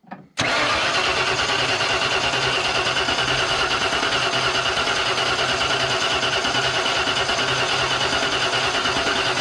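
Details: 1992 Ford F150 XLT, 302 V8, E40D automatic: steady fast cranking that never catches. The tester between distributor cap and plug shows spark, so ignition module and distributor work. Cranking, no start.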